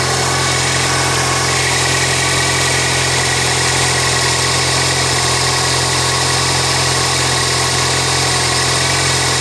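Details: 1999 Toyota Corolla 1.8 idling on a cold fall afternoon just after power steering pump pulley repair for a knocking noise: smooth, even idle with steady hum, no squeal or whine from the belt side; healthy.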